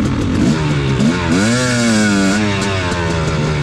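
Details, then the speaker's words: Two-stroke dirt bike after a carburetor change fixed its lean jetting; a fluttery, mechanical-sounding crackle comes in as the throttle closes after revving. The owner doubts lean popping and tears it down to find the cause: crackling noise on deceleration. "it sounded really really good the next time i wrote it but i was still hearing that like fluttery cracking noise listen did you hear that a little crack yeah get up there so you can hear it when i let off"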